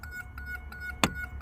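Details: 1983 Buick Riviera 5.0L with a parasitic battery drain: the chime module gives a soft, regular lights-on warning chime at about five or six pulses a second, so it works normally. Afterwards it kept beeping while running and was unplugged.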